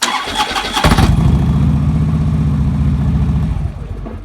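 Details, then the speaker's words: 2009 Harley-Davidson Road King after a starter clutch replacement for a horrible starter noise. Brief cranking with a hesitation, then a steady lumpy rumble with no metal-on-metal grinding; the starter now engages cleanly. "Second one, there was a hesitation, but there was no actually metal on metal. Wow, that sounds pretty good. So far, that's 100 times better than it sounded."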